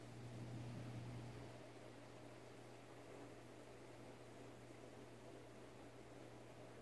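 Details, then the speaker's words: Emerson 1895 Series 52" ceiling fan CF4352PB04, KB-55 stack motor, mid-late 80s, on low speed in reverse: very quiet steady low hum, no ticking, rubbing or wobble; normal running. "it goes about the same speed I think in Reverse this looks about the same maybe a little faster I don't know I can feel air definitely from it"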